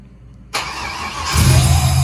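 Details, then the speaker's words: 1968 Camaro V8 with Holley fuel injection, second start-up, correct injector data not yet entered, fuel pressure 58 psi, idle unadjusted, smoky from oil in the cylinders. Quick catch, then a strong, steady rumble with no knocks or ticks. "i already started it up once i didn't think it was going to start because i don't have the right injector data in it but at least it did start up so this is technically the second startup that sounds amazing"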